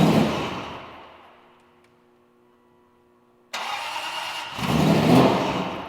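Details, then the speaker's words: Supercharged V8 Aston Martin Vantage, first start after top-end rebuild and timing: strong roar that fades and dies, then a brief second start. Won't stay running; no bad mechanical noises. A MAF issue is suspected. "have to take a look at it and see why it won't stay running. Chris thinks maybe it's a MAF issue, but the good news is no bad noises, sounds great, fires up."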